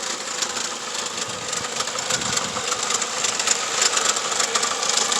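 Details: 2004 Toyota Camry petrol engine idling unevenly with irregular stumbles and pulses, a misfire, being located without a scanner by disconnecting each plug connection in turn and listening for a change.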